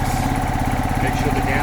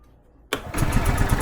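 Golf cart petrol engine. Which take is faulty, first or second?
second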